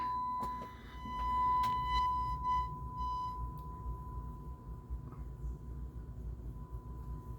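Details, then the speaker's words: JVC A-X40 integrated amplifier, thrift-store find: steady 1 kHz test tone broken by sharp crackles and scratches over the first seconds, then cleaner as the control is worked; filthy, scratchy volume pot, with some bleed on the left channel. "So the volume pot is obviously filthy. And I'm getting some bleed on the left channel as well. But it seems to be clearing up as I'm just working the control here."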